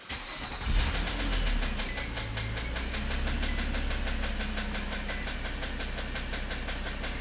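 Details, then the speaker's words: 2010 Nissan Maxima with intermittent stalling and blown fuses: the engine cranks and catches, then a rapid, even ticking slap rides over the idle from a loose accessory belt, judged not a concern. "that sound is a belt that's about the jump-off but they're not worried about it"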